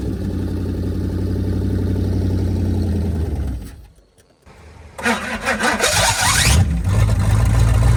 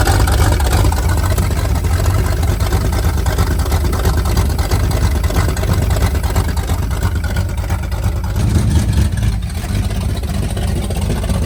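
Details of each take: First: 1978 Pontiac Firebird with 305 V8, abandoned since 1989, first start attempt: engine runs rough then dies; after a pause it spins over on the starter without catching because the tank is out of gas. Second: 1978 Pontiac Firebird with a 305 V8, abandoned since 1989, first run after priming the fuel: deep, even rumble holding a steady fast idle with no knocks or misses; engine sounds healthy.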